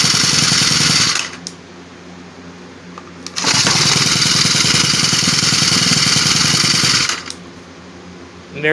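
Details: Cub Cadet 4-cycle string trimmer after carburetor replacement; revs up crisp and high, drops cleanly to steady idle and picks up again without stumbling; running properly.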